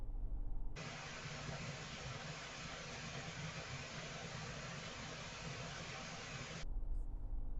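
A steady, even hiss starts abruptly and holds for six seconds without rhythm, heard from a distance: water jetting from a burst hose connection.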